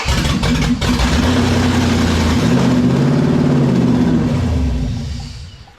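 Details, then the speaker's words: LS 5.3-swapped 1948 Dodge pickup after new injectors: the engine catches, surges unevenly, then sags and dies as if running out of fuel, with a whistle. Suspected vacuum leak through an uncovered hole at the back of the intake. "all it wants to do. It just like it's running out of gas."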